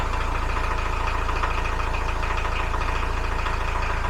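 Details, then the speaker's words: Widebeam boat diesel engine started after 500-mile service (oil and filter change), after glow plugs: steady even idle, about three and a half beats per second, no squealing; charging 13-14 volts, oil pressure good. "Waiting for the glow plugs. Hopefully we don't get any squealing. Oh, now that sounds good."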